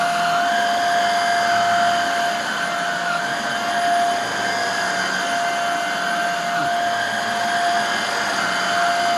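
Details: Hoover Air Steerable vacuum motor after refurbishment with a commutator polish and newer lower hose: steady, even high-pitched whine with constant tone and no rattles or surging; running smooth and healthy, back to nearly new condition.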